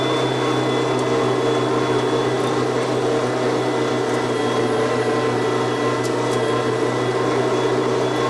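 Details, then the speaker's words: $20 gas snowblower converted to twin electric motors with belt drive and battery, clearing snow on first test: steady electric motor hum with faint high whine, even and unbroken; cleared the snow, normal operation under load. "Well, the snow is gone, so it successfully did the job."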